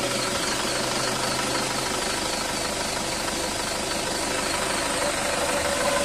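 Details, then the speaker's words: Isuzu Traviz diesel, fan belt squeals on engine start, worse with aircon on; belt adjustment checked OK and belt still in good condition, squeal heard over the engine clatter, likely from muddy operating conditions. "ano sa fan belt yan eh yung umiingay Sabi ko aking customer Okay pa naman itong belt mo"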